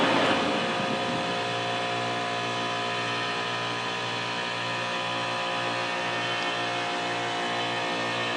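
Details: AC unit cycling on and off repeatedly, kicking on and settling into a loud steady droning hum with a buzzy tone; abnormally loud running noise, cause unclear.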